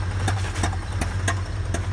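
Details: Engine over-revved to redline getting out of mud: uneven idle with sharp exhaust pops about every half second; runs fine with cylinder 1 disconnected, owner suspects a failed cylinder 1 lifter not opening the valve.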